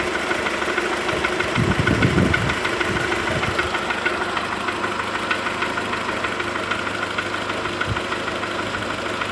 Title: صوت في محرك قولف 4 بنزين (1.4) و هي باردة - Bruit moteur golf dans 4 (1.4)